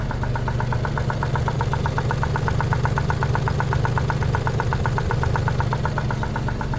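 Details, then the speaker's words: Suzuki Alto Works, cold start warming up: loud, sharp, even top-end ticking about four per second over a steady idle. Suspected noisy lifters (oil additive planned), idle air control valve possible; oil currently overfilled. "So I don't know if you can hear that, but it's quite loud, the knocking."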